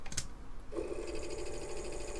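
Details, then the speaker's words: Apple II Plus Disk II floppy drive after teardown and cleaning, on power-up: a sharp click, then a steady, even buzzing chatter as the head steps back to track zero; normal recalibration before booting. "heard the head step back it's rolling a floppy and here the head stepping"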